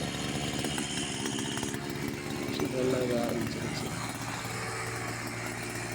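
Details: Two-stroke brush cutter after clutch plate change and service for starting problem: steady rasping drone holding speed without stumbling, running cleanly.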